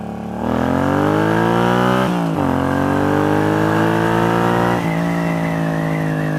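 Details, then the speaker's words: Newly built bobber on its first test ride, after bearings, brake fluid, oil, rear drive oil and valve adjustment: crisp throttle blips in first gear, revs climb cleanly and drop with sharp exhaust crackle on let-off, no knocks; healthy running. "that's got a real nice pull in first gear try that again see if you can hear the snarl when I let off let's Goose"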